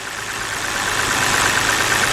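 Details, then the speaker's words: 2010 BMW 528i 3.0L with code P0305: it runs rough, and unplugging the cylinder 5 coil makes the misfire worse while cylinder 2 shows no change. This traces the misfire to cylinder 5 and a failed ignition coil. "So let's go over here and disconnect number 5. Watch, let's see what happens. Oh, that misfire got worse."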